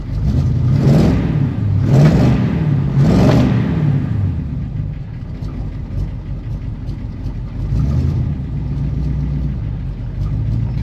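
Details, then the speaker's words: Pontiac Grand LeMans V8 after years off the road, before first drive: three ragged throttle blips with an unevenly stumbling idle between them; owner first suspected the carb, then ignition timing; rough running when revved. "Maybe we'll give it another go. That sounds more like timing to me."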